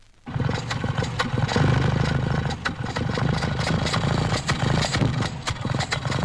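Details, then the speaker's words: Four-cylinder engine at idle spitting back through the carburettor: uneven idle with irregular sharp pops from the intake. The cause is mainly a too-weak mixture burning slowly into the next inlet opening; ignition timing is named as another cause. "r in a four-cylinder engine due mainly to too much air in the air and petrol mixture which results in slow burning and in fact burning is still going on when the inlet valve opens again on the next cycle of operations and there's a minor explosion in the carburetor."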